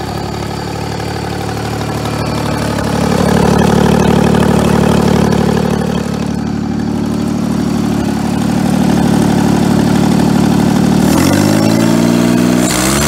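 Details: 1988 John Deere 322 mowing tractor, about 200 hours since frame swap, carb just cleaned of tank sediment: runs steadily at about three and a half beats a second with a loud, raw, rasping exhaust; muffler may be blown, suspected.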